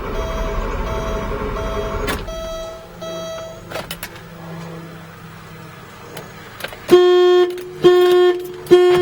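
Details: 1989 Porsche 928 no start: turning the key sets off loud alarm blasts about once a second, so the anti-theft system blocks starting. The alarm is cleared by cycling the locks with keyless entry; long-standing fault, worsening; battery then dead.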